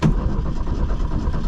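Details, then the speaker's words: 1972 Ford Pinto, abandoned car with a new fuel pump. Steady starter churn with no firing for under two seconds while trying to pump gas up to the carburetor. Cranking, no start; fuel not yet reaching the carburetor. "Pump It Up got to get gas up to the carburetor it says it's got a little bit of fuel in it come on fuel pump it's got a new fuel pump on It come on"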